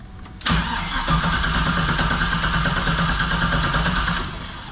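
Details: 1973 Chevy K5 Blazer with an LS swap and a newly installed Painless wiring harness and Dakota Digital gauges: the starter grinds steadily at about three turns a second for four seconds but never fires; something on the LS harness is suspected, not confirmed.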